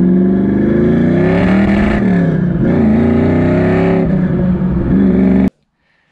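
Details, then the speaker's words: Ford SN95 V8 on a road test under load, stumbling uneven note as revs rise and fall, engine breaking up. Pinging seemed temperature related; one bank's headers run extremely hot. Owner suspects that bank is lean, possibly a clogged injector after new braided fuel lines. "took it for a road test yesterday just kind of cruising around playing with the GoPro and under load it was breaking up a little bit"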